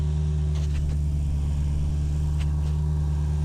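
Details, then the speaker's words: 1984 Ford LTD Crown Victoria 302 V8 idling about 5 minutes after water pump work: deep idle with heavy rhythmic thump and a few sharp knocks, shaking the car; owner suspects air in the cooling system as it gets very hot. "'s been about 5 minutes and it's kind of like the car has developed a bit of a a heartbeat. I don't know if you can hear that. But there's like a thump bump thump thump. It's kind of shaking the whole car."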